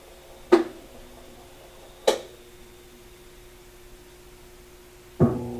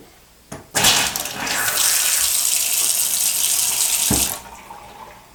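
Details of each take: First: Washing machine solenoid valve shuts water off abruptly under high water pressure, causing backflow and water hammer: loud sharp thuds bang through household pipes, heard upstairs too, with bursts of running water between; water hammer arrestor later fitted fixed it. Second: Washing machine supply tap that suffered loud water hammer from high pressure and the solenoid valve snapping shut, after fitting a top-mount water hammer arrester: water rushes steadily and shuts off cleanly with no bang or shudder.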